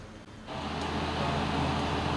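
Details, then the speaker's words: Ceiling fan bench-tested on supply through common and capacitor running wire: low electrical hum with rough, rattly khad-khad running noise persisting despite new bearings; the rattle is blamed on a worn bearing seat. "तो यह आवाें क्यों आती हैं जबकि customer यह कह रहा है कि इसके अंदर मैंने नए बैरिंग भी डलवा दिए थे। लेकिन यह आवाें इसकी बंद नहीं हुई।"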